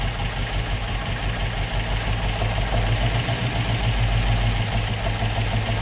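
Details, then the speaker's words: Opel Manta/Ascona hybrid stored about 20 years, still on old plugs: low, even idle holding on its own for several seconds with no misses or surging; sounds healthy. "happy days that was not bad for a car that has been stoed for 20 years I thought it was going to be a lot harder to get started than that"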